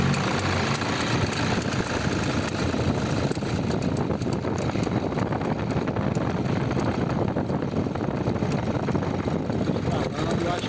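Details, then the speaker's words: Toyota Hilux diesel pickup idling with a dense, busy chatter from the alternator belt drive: the alternator pulley slips at times and is to be replaced. "o barulho aqui nessa polia tem hora que ela desliza e a gente vai trocar essa polia"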